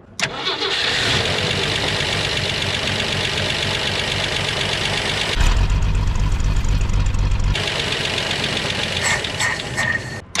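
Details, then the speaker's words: 1964 Jeep Wagoneer old six: fires up and idles with a light, quick valvetrain lifter tick but no deep rod knock; seems to run okay. "hear some lifter noise but I don't hear any actual knocking or anything that sounds like it's going to come apart it actually seems to run okay"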